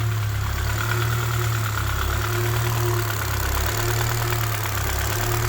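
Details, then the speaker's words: K-swapped Honda Civic EP2 with IACV deleted, idling on its own but hunting: idle rises and dips every couple of seconds under a faint tapping knock; owner unsure whether it's injector noise, earlier knock was louder, cause unknown. "but more worried about why the engine sounds like it's knocking i should have recorded the one before because it was it was a lot louder but i'm concerned understandably so"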